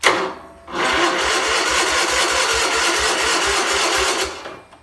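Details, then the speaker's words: 1977 Sears 16/6 tractor, Onan engine with rebuilt carb, cranked by jumper cable straight to the starter bypassing a suspected bad solenoid; spark untested. Grinds slowly at three to four beats a second and never fires. Slow cranking, no start. "Well, it's cranking over, not very quickly. I have no idea if I have spark because I didn't put a spark tester on it, but I'm just going for broke here."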